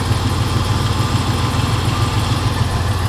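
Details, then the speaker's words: 1980 Pontiac Turbo Trans Am, 82,825 miles, cold engine just off fast idle: an even, deep exhaust burble with no knocks. An earlier lifter tick has faded and it smokes slightly on startup; healthy idle. "think so. Engine is cold, so it just came off a high idle. Exhaust sounds decent. Yeah, exhaust sounds good."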